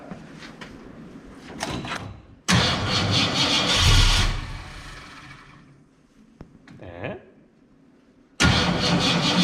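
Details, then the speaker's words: 1967 Ford Fairlane V8, first start attempt after sitting 7 years, weak batteries: slow uneven cranking, then sharp loud bangs and coughs back through the intake instead of catching. Backfire while cranking, with timing suspected off but not confirmed. "shot and that would be the definition of a backfiring why is it off so far"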